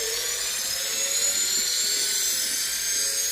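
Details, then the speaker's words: Washing machine motor wired to a power supply, running on the high-speed connection at about 3000 rpm with no load. Thin, high-pitched whir with faint wavering tones; spins fast but its torque is weak. "if you even if you are in the RPM is so so high 3000 model is is weak anyway I can't stop it"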